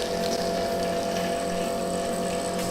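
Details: Homemade automatic watercooling-cleaning machine, air blown in at slow speed to clear the excess water: a steady even mid-pitched hum with a light rush of air and water; blower running normally and effectively.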